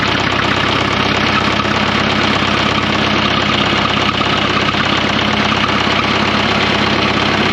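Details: 1954 Fordson Major diesel tractor, first start after fresh oil and diesel: heavy, rapid knock about three beats a second through idle; owner wonders if bearings are gone or the engaged starter caused it; unconfirmed.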